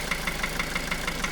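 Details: 2010 Opel Astra J 1.7 CDTI 125 HP diesel at idle: sharp steady tick about six per second over diesel clatter; began after clogged oil pickup in sump, bearings checked fine, injectors replaced without help, slightly quieter when warm; engine knocking, cause unknown.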